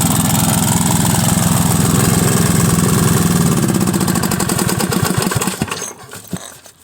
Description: lombardini IM 350 rough idle and poor acceleration problem.